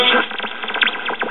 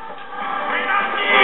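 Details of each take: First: 1969 GE solid-state AM clock radio after replacing drifted 1.5k converter emitter resistor: sharp whistles sweep up and down between stations as the dial moves; squealing caused by open 10 µF electrolytic capacitor in the AVC circuit. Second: '69 GE solid state AM clock radio, reference unit identical to the one under repair: weak station at 670 comes in with music over light hiss, clean and steady; normal AM reception.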